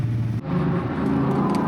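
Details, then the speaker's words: BMW E39 M5 on track: a hard-pulling engine stumbles and drops out under load, then runs unevenly. Low on power with a check engine light and misfire codes; no knocking, temperatures fine. Misfire under load. "So, at least we fixed one thing, created one problem for another. Sounds like it's misfiring."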